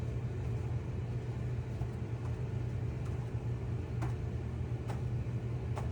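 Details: Whirlpool/Maytag dryer after new belt and drum rollers installed, previously squealing/grinding; smooth steady low drum rumble with only a few faint light ticks, no grinding; drum turns evenly and sounds healthy.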